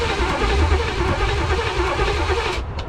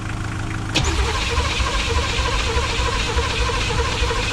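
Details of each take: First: 1985 Pontiac Trans Am, 350 small-block Chevy (5.7) unrun for seven years and freed from seizure, cranking on a replacement starter; brisk, even cranking with a steady low chug at about 3.5 turns a second, much faster than before; spark present; normal cranking. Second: 1985 Pontiac Trans Am 5.7 350 small-block, not run in 7 years after being seized, fed premix fuel: starter spins briskly then slows and drags, won't catch; owner suspects battery losing power even with booster.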